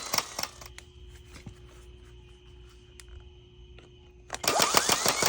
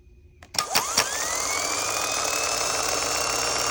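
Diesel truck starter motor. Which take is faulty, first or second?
first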